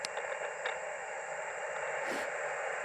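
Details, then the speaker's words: Powerwerx solar charge controller on a 3 Ah battery, no panel, feeding a QRP ham radio: steady, even static hiss at S2–S3 that drops to S1–S2 when unplugged; the controller generates interference. "This is going to be hard, but S2, S3, and if I unplug it, let's see. I am S2, S1. So this is definitely generating some noise."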